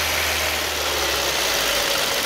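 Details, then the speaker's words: 2009 Ford Focus whose cooling fans would not come on (missing ground at the fan connector found), engine idling and revved to raise temperature: a strong, steady airy rush with no rattle or whine. The fan switches on at about 208 and off around 204, working normally. "entró Aproximadamente a los 208 quiero que ustedes vean que ya entró en efecto el ventilador"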